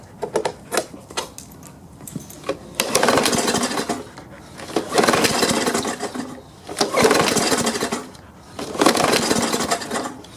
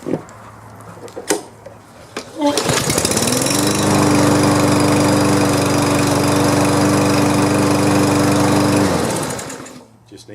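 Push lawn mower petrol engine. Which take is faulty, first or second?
first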